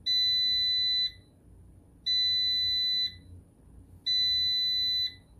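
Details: Air fryer giving three long, clean high-pitched beeps, each about a second long with a second of quiet between, repeating steadily; the cause isn't known.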